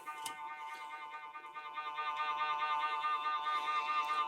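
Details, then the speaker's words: Stylophone 350s vintage synthesizer after replacing a broken transistor in the vibrato circuit: sustained tone with a slow, regular pitch wobble at an even rate; vibrato working, slow setting. "That's the vibrto, the slow version. We can also put it to a faster version."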